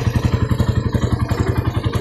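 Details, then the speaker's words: Freshly rebuilt Raider 180cc with 30mm flat-slide carb, 68mm steel bore, ported stock head, gutted stock pipe, in break-in. Even idle, about eleven steady pulses a second, low smooth thump with no tapping or rattle; very quiet. "Sobrang tahimik na makina. Parang brand new lang. Parang nirefresh lang. Hindi siya parang di naka 180."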